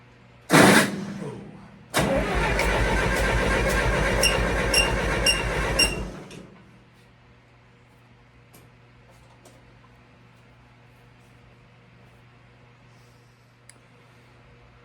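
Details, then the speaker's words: International 2424 tractor re-ringed to fix smoking, compression test on cylinder number two, suspected of not firing; quick light rhythmic cranking for about four seconds, reading about 90 against 120 on cylinder one, suspected leak. "we got 90s sounds like it's leaking"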